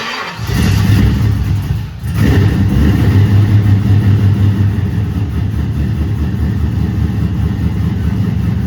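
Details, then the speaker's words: 2008 Toyota Prius with a swapped-in 5.3L LS V8, first start-up after injector problems were sorted: cranks, catches, dips once, then settles into a deep, steady, even idle with no knocks or misses, running healthy. "that's way better I know about it oh yeah let's"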